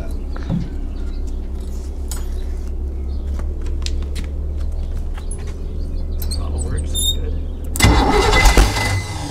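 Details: 1971 Sidewinder jet boat 454 V8, new battery and fresh gas poured into carburetor, first try before engine removal: deep rumble, then loud catch and keeps running; clean cold start.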